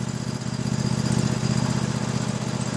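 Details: Toro SW 2400 lawn tractor idling slowly and still warming up during a battery tester check: a steady, even low putter with no misses or knocks; normal idle.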